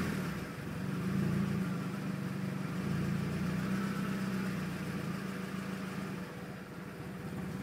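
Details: 2001 Mazda Miata LS at standstill; idle wanders up and down, pitch dipping near the end as if about to stall, happening about 20% of the time; caused by failed MAF sensor plus intake-pipe vacuum leak at drilled IAT hole, fixed by replacing MAF and sealing.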